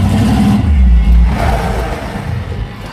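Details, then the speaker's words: Rear-engine mini truck V8 with Demon carburetor: rumble loses its beat and dies in about three seconds on braking; rear float level too high, so fuel gushes from the boosters with throttle blades shut, flooding and stalling it. "That dies. Our demon carb basically is leaking every time I brake even remotely hard. Fuel is being pulled out of the boosters into the carb. And because the throttle blades are shut, it's making the engine shut off."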